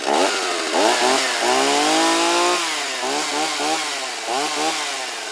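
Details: Stihl 024 AV chainsaw, not started in a while, with the carburetor internals and boot new, before seal replacement. Revs surge unevenly about four times a second and never settle to a steady idle. Owner suspects leaking crankcase seals.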